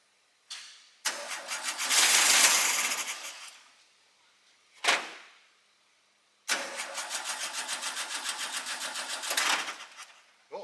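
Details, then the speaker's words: Newly acquired SpraCoupe engine for a 1961 VW bus, primed with fuel, coil from original bus engine: bursts of cranking, fires briefly and dies, stumbling and uneven; a little flooded. "we're a little flooded now go ahead keep going so good though"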